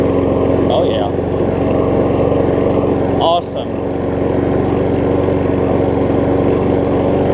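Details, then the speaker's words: Troy-Bilt self-propelled mower with donor Honda engine replacing blown Briggs, after restart, no load; even rapid putter at steady speed, no misses or knocks; seems a tiny bit low on compression but runs good. "Oh yeah. it does seem like it's a tiny bit low on compression, but it runs good."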